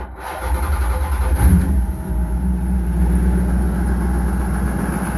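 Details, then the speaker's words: Car just started after dirt track bumper and rear axle change: cranks, catches and settles into a lumpy idle with a loose, uneven rattle from the shotgun hood scoop vibrating on the engine. "All that rattle from that uh shotgun scoop. It rattles."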